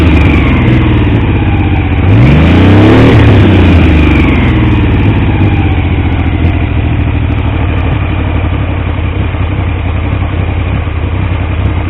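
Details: T150V triple, rebuilt top end after oil leaks; started on the 2nd kick. Even idle, a quick clean rev, then back to a steady beat; nothing mechanical stands out. Oil pressure ~70 psi revving, ~40 psi under 2000 rpm; no leaks; normal.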